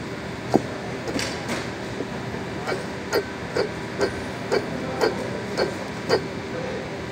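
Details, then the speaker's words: Kia Carnival water pump, removed and spun by hand: rough, gritty rumble with a knock each turn, about every half second; no overheating but noisy and leaking black from using plain water instead of coolant; worn water pump bearing, pump replaced. "Wala naman siyang overheat, pero tumutunog lang. Ito yung ano niya, water pump. Yan. Tumutunog to siya."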